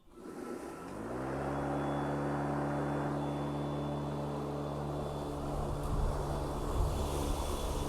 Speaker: you'll hear the the obviously the the mower blades coming on I'm gonna do a quick mow